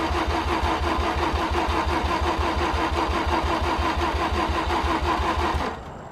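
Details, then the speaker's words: Car driven in the night before and hard to start then, cranked after fresh gas added: steady cranking at about three beats a second for over five seconds, never catches; cranks but won't start. "oh oh how much it almost started man i really am cursed"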